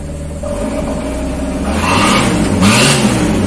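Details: Fuel-injected T120SS after fuel pump replacement for bucking on inclines, refusal to rev and stalling without restart. Fuel now flows and the engine starts and runs cleanly, its steady note rising smoothly with a couple of revs, no misses.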